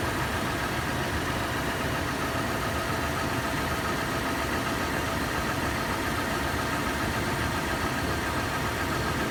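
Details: Toyota FJ warm start at idle, steady idle with a dense fast clatter through the engine noise that later turns into slower, louder metallic tapping/knocking; cause unknown.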